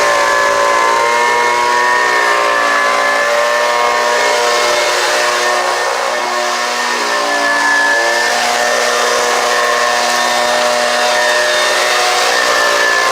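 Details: Homelite UT09520 two-stroke trimmer after carburetor replacement, warming up: high-pitched buzz at a steady, fairly even speed with slight wavering, maybe a touch rich; runs well, owner thinks it could use a little tuning.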